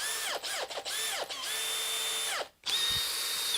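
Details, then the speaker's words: Makita hammer drill, speed one, drill mode, previously sounding bad and smelling hot: clean steady high whine spinning up and coasting down smoothly, no grinding; now sounds better. Normal motor run. "it's actually sounding better that's a the motor sounding better than when we first started the video maybe we just needed to work on something to straighten something out"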